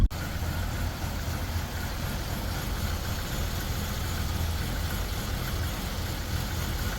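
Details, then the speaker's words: Buick Rendezvous that had not been starting now runs, but the idle is low and uneven with a stumbling exhaust beat. It is a misfire with codes P0300 and 1189 (oil pressure switch circuit), though it accelerates well. "cabecea bastante no está trabajando parejo acelera pues muy padre acelera muy bien"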